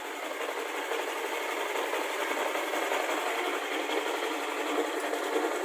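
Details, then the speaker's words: Yamaha NMAX with a KLX dome piston and stock camshaft, freshly reassembled, idling: a fast, light metallic clicking over the engine note from the CVT, caused by loose sliders that are to be fixed. "CVT-nya agak berisik, penggesernya berbunyi klik."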